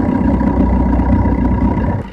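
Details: Engine held up in the revs with a thin, steady whine of about a kilohertz, heard only once rpm climbs past 2000; the source is not yet pinned down.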